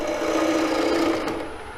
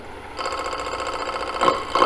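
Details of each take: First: Ellsworth gouge cutting straight into end grain toward the centre of a walnut square bowl: continuous rough buzzing rasp, fading as the tool lifts; end grain chatter. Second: Gouge held against the body turning a square bowl blank: rapid regular chattering bursts, about three per second, as it clips each passing corner; normal intermittent cut across the corners.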